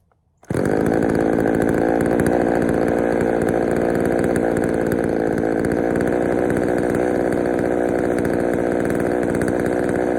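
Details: Poulan 3000 chainsaw, brought in not running, serviced with old dirty fuel drained and fresh fuel added; steady buzzy run holding one speed with a slightly soft, blubbery edge, carburettor a touch rich, low speed to be adjusted.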